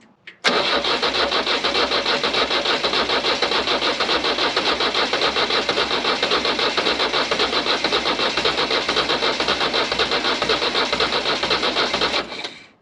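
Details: Nissan SD22 2.2L four-cylinder diesel swapped into an Oliver OC-3 crawler, glow plugs hotwired for preheat, black smoke earlier: about twelve seconds of steady cranking, roughly four beats a second, never catching; cranks but won't start, cause unconfirmed.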